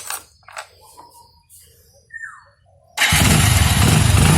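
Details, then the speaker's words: Motorcycle after cleaning its carboned spark plug in petrol and refitting it: quiet moment, then it starts instantly and settles into a steady, even idle; clean start, plug now works. "Start වුණා. හරි ඒකෙන් දැන් plug එක වැඩ."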